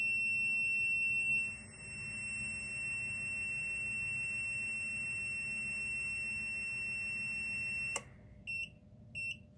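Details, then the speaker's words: Arduino MQ135 ammonia detector for a chicken coop, with a tissue near the sensor pushing the reading to 400–500 ppm, labelled dangerous: a continuous shrill buzzer, then broken chirps once covered, as the reading drops from 160 to 98. Alarm for ammonia above the setpoint. "Nah, dangerous. Jadi values berbahaya, nilai sangat berbahaya bagi kesehatan tubuh manusia. Saat ini menurun 160, 140. Oke, buzzer akan saya tutup karena suaranya terlalu keras."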